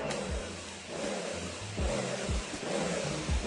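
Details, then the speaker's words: Sun Joe SPX3000 electric pressure washer (14.5 A motor, 2030 PSI max): after rapid triggering, the pump surges in a low, uneven pulse about every half second instead of a steady drone; pressure stays low until given time. "Now watch when I do this. See how it's low pump? That's why you have to give it time."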